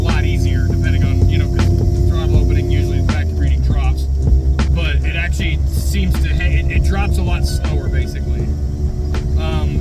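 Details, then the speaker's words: Ford 351W small-block V8 with a factory smog pump converted into a DIY crankcase vacuum pump, still cold, on a drive: steady low constant-pitch drone while cruising; owner unsure if smog pump is failing or the added restriction is too much. "does make this really annoying drone, though. I don't know if you can hear that. Not sure if that's the smog pump going bad or if that was just whatever."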